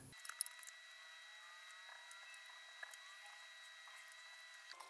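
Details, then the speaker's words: Milwaukee M12 Li-ion battery after repair, cells balanced at about 3.67 V, placed on charger: faint steady high whistle from the charger's converter, no wavering; charging normally with no error. "так стало слышно свист преобразовательный зарядное устройство заряд пошел немножко полежит"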